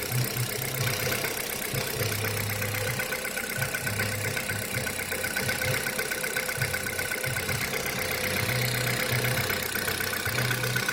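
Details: Kia Rio 3 cold start, idling cold: quick, uneven tapping about four per second over an unsteady low drone; engine knock when cold, source unclear.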